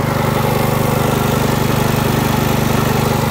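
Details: 1989 Hayter 21 Osprey orchard mower with 5HP Briggs & Stratton 132922 engine, cold first start after a fuel pump diaphragm replacement and starter ratchet cleaning: small single-cylinder thumping at an even three and a half firings a second. Normal running.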